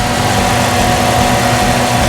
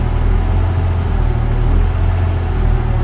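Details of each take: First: 1998 Jeep Cherokee XJ 4.0 after replacing the throttle position sensor to cure an idle surging up and down: steady, even idle with no hunting or stumble, faint music behind; normal idle, fixed. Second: 1998 Jeep Cherokee XJ 4.0 idles deep and loud, swelling and sagging every second or two and sputtering slightly, with no trouble codes. The hunting had gone on for a week; the throttle position sensor is suspected and is being replaced with a Standard TH189.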